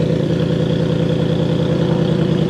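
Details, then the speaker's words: Cadillac limousine abandoned 10 years, started after a new exhaust flex pipe was fitted: steady, deep, even idle with no misses or knocks and some rattling inside the exhaust. Sounds like a proper Cadillac. Normal idle. "kind of sounds like a proper Cadillac actually it sounds pretty good"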